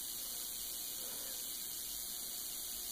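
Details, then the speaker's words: Homemade jar capacitor with a plastic dielectric on a high-voltage power supply: faint, steady high-pitched hiss with nothing beneath it. Corona discharge is trying to pass through the insulating dielectric. "now you can probably hear the hissing sound that the capacitor is making that's because there are a little bit of corona discharges going trying to go through the dielectric but it's not working because after all plastic is an insulator"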